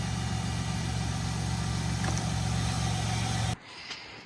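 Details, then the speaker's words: 1998 Chrysler Town & Country after isolating the shorted wiring in the ASD fuse circuit that kept blowing the 20A fuse (the lines going to the alternator): smooth, even idle hum with a steady low drone and no knocks or misses until shut off. Engine now runs normally. "Okay, the car is on now. We found it."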